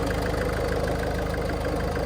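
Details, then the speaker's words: High-mileage diesel Range Rover Evoque at idle: fast, even pulsing rumble with a hollow plastic edge from the belt area, worsening over time; maybe the tensioner, cause suspected, not confirmed. "can you hear that noise it's getting worse isn't it that plastic Hollow noise"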